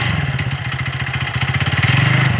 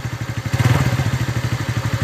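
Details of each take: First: TVS Ntorq scooter before repair: uneven metallic clatter rides over the engine and rises with the revs. Loose magneto flywheel rotor; tightening the magnet fixes the noise. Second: TVS Ntorq scooter after magneto rotor was removed, refitted and tightened: even putt-putt at about ten beats a second with no clatter or scraping; idles cleanly, noise problem solved.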